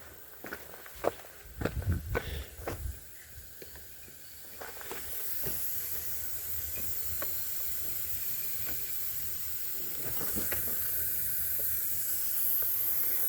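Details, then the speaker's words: Swap-meet propane converter of unknown quality for a 1999 Lincoln 4.6 V8 conversion, pressure-tested by opening the tank, engine off; steady hiss rises and holds. Propane leaking from the converter. "Well, I hear something leaking."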